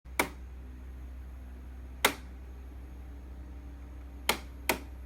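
Four sharp, uneven snaps a second or two apart over a quiet low hum; the air conditioner is clicking abnormally, cause unclear.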